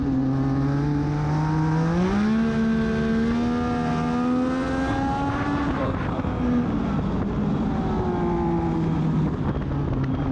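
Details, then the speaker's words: Race car at Charlotte on track, correct gear, accelerating out of turns: engine note climbs and sags in long pulls, revs flaring without matching acceleration; the owner attributes this to a clutch issue that ended his race. "you can just tell in the audio like I get on I'm the correct gear and get on it out of the turns but the car is just not going anywhere"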